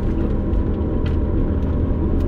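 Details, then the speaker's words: 250,000-mile Mitsubishi Eclipse GSX AWD on a test drive; steady low growl under driving noise, dying down as it slows, unchanged with clutch engaged or disengaged; wheel bearing growl, differential not ruled out. "so it doesn't matter what the transmission is doing so this could be a differential issue but it also could just simply be a wheel bearing"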